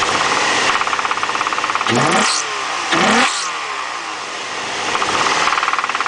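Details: 2003 Infiniti G35, VQ35DE, 6-speed manual, 130k miles, revved twice from idle: rapid knock on the climbs; owner suspects rod knock, unconfirmed.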